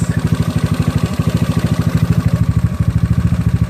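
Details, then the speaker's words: GY6 scooter engine with OKO PWK 30mm carburetor being tuned, about 15 minutes' running: idle putter with uneven spacing, speed slowly climbing then dropping back on its own before settling; hunting idle, cause not confirmed. "pretty much idly but you see here started climb up here right okay there he dropping back down on his own alright seems like he's pretty much stationed there"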